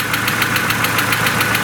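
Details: Mercedes A140 (W168) petrol engine at idle after start: fast, even ticking about seven a second from faulty hydraulic lifters, two found not working; suspicion confirmed under the valve cover and the lifters were replaced.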